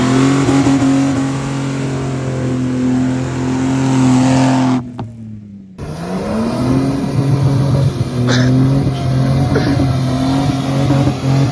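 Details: Toyota LandCruiser exhaust, an earlier-trip clip standing in for the before-sound prior to fitting Pacemaker extractors: a steady, even engine drone that climbs smoothly with revs, no misses or rattles; normal exhaust note.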